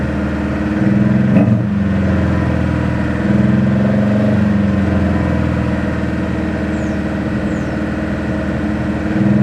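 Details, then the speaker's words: Dad's car after an oil change, started on a quarter gallon of found gas: seems to get proper oil pressure but won't idle properly, Sea Foam already tried; idle hunts and sags, drone rising and falling; rough idle, cause unknown. "there it's like it's getting proper oil pressure i now won't idle pound so any any idea what could be up with it"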